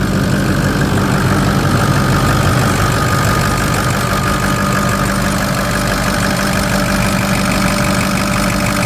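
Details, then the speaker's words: Ford F-350 with 6.0 Power Stroke diesel, one previous owner, which owner says always starts right up without overheating or smoking: steady even idle, smooth low rumble, no misses, knocks or hunting. Healthy engine. "we start this up it starts right up every single time I turn that key never had the issue with starting up"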